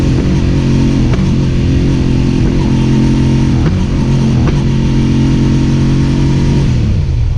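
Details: Suzuki SV650 holding steady high revs but stumbling briefly about four times in seven seconds, pointing to an intermittent engine misfire.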